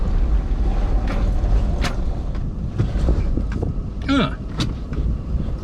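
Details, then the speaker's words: Toyota LandCruiser 80 Series climbing a hill to a quarry, hot engine: labours with uneven pops and stumbles, running ragged under load, then dies; misfire and stall under load, cause not yet found. "She just farted and stopped. Oh, don't [ __ ] do it to me again. All right, so I've just made it up here to the um to the quarry. And it started [ __ ] missing and farting again."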